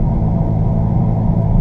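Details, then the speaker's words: 2015 Jeep Grand Cherokee (WK2) driving: steady low growl and hum under road noise, seemingly from driver's side front, lessening when turning right; wheel bearing growl, driver's front bearing suspected. "sounds like it's coming from the driver's side front and if i if i turn to the right notice how it changes tone and gets gets to be less"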